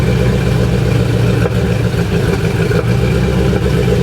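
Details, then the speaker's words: C4 Corvette V8 at idle with a new 2.5-inch front Y-pipe (front cats deleted) and Cherry Bomb glass packs: loud, deep idle with occasional sharp exhaust pops. It sounds like a burnt valve; after a valve job the owner suspects an over-tight rocker arm holding a valve open. "So, you can hear the popping right now. I couldn't hear that with the other mufflers on it with the stopped up cats. Now that it's pretty much straight through, you can hear it. So, I'm pretty sure since it sounds like a burnt valve and I did a valve job on it, that one of the rocker arms is too tight."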